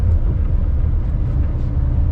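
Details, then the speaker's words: Maruti Alto 800 on CNG, after fixing misfiring that caused jerking for 11 months: it pulls away from a standstill in second gear with AC on and a single occupant, a deep, even rumble with no stumble or jerking. "देख लिए ना आप घड़ी करके second gear में AC में उठा दी गाड़ी को। आराम से उठ रही है।"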